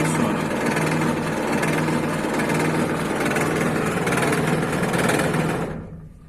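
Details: Sliding gate motor: steady hum with rapid rattling chatter about four per second as its gear slips on the worn rack, gate stalls and stops automatically.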